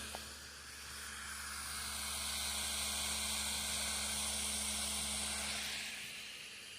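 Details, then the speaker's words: Computer disc drive burning a disc (test run): steady airy whoosh with faint low hum as disc spins up to speed and holds, air felt coming out; normal burning spin-up. "And you hear it revving up. And the laser's going to start get brighter and brighter."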